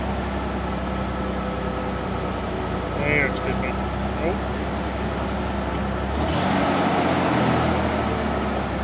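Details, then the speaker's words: Ford Bronco II during warm-up, after new ignition coil and spark plugs, before new plug wires; owner suspects vacuum leaks: idle sags noticeably low and uneven, then recovers; it shouldn't dip that low. "yeah see whatever that is it shouldn't be dipping that low"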